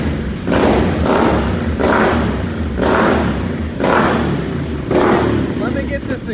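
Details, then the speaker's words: Once-flooded 2020 Can-Am XMR 850 after fluids flushed and gearbox replaced, in neutral: repeated clean throttle blips rising and falling smoothly without stumbles or popping; normal revving. "Thanks sounds straight-up like a race quad or something"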